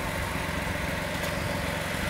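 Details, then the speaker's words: BMW E46 M3 track car, first start of a brand-new S54 engine that still needs running in: steady, even idle with a smooth low burble and no knocks, ticks or misses; fresh engine running cleanly. "all right finally the car is back together it is not finished by any means but it's the first time it's running as you can hear and i still can't quite believe it"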